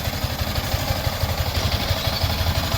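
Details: Yamaha Sniper 155 after water pump repair kit replacement and coolant bleeding: even, steady low thumping at idle with no whistle or whine; the earlier pump whistle is gone, engine idling healthy.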